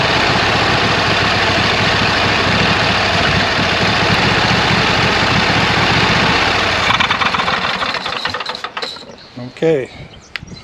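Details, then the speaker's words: 26 HP Kohler V-Twin mower engine after replacing both ignition coils, previously misfiring and running on one cylinder: strong, even run for about seven seconds before winding down, no stumble; firing on both cylinders. "sounds good it's time to put the cover back on the engine and uh see how she mows"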